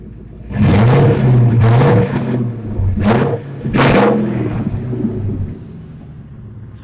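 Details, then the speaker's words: 2000 Ford F350 5.4 V8 revved after a new intake (fixing a coolant crossover leak) and new spark plugs: four clean throttle blips rising and settling smoothly, no misfire, ticking or knock; sounds healthy. "I'm gonna see if I can get a couple of revs out of it for you guys. Sounds pretty good though."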